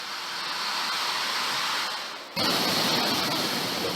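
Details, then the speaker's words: 2007 Isuzu pickup AC blower fan, power test after repairing a worn fan bushing that let the blade wobble and rub the housing. Steady even air rush stepping louder as speed rises, no rubbing or ticking: healthy after repair. "تمام شد ، اکنون سعی کنید قدرت را تأمین کنید تا ببینید آیا صدا می دهد یا نه. خوب ، به طور معمول کار می کند."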